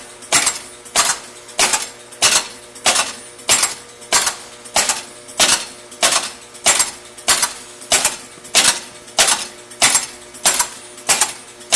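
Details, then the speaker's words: County Fair pinball machine powered on for the first time after full restoration with about 100 contacts resoldered: sharp mechanical clacks every 0.6 seconds nonstop, stepper units cycling, advancing horses as if a ball fell in a hole; wiring short. "it sounds like what's happening is that the ball has fallen into a hole even though clearly the Playfield is upright and there are no balls in the holes and it's incrementing a horse One Step each time and then going on to the next horse"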